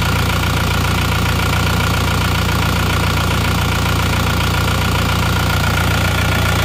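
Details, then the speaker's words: Car left unstarted for 3 years, towed in from Jakarta, started after oil and panel lights came on: catches at once, steady even idle clatter with deep uniform rumble, no misses or knocks; runs smoothly, then warmed to working temperature. "ternyata langsungegrang [Musik] hiupnya dan rata pun hidupnya"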